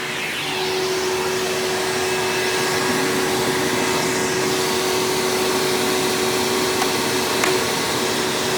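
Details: 1997 Hoover Dirt Finder Power Drive U6331-930 self-propelled upright vacuum, direct-air machine, running in tool mode with the onboard hose attached: steady high airy whine holding one pitch, no rattles or surging; motor running smoothly, normal.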